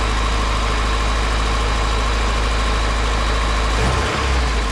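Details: Carbureted car started after fitting new electric universal fuel pump, about 7 psi pressure: even, steady low rumble with no misses, knocks or surges; normal idle.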